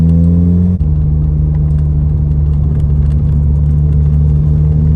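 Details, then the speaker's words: 2006 VW Golf GTI after coil pack replacement for a bad misfire, pulling up a big hill under load: steady, even low drone with no stumbles or missed beats; runs smoothly. "all right so I've driven a little bit no issues so far big old Hill near where we live so I'm at the bottom of it now we're gonna head up right now all the way home"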